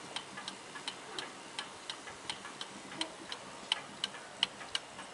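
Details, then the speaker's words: 1881 Ansonia marble mantel clock with an open escapement: a crisp, even tick-tock at about 85 beats a minute in a quiet room. Healthy escapement running normally. "I could sit and watch this and listen to it all day, especially when it's on top of a fireplace."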